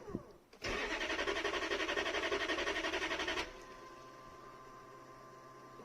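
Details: 1992 Lexus LS400 1UZFE V8 on its first start attempt after fuel pump replacement, on a cold night. About three seconds of even cranking at roughly four beats a second with no catch, then only the new pump's hum. Injectors weren't grounding.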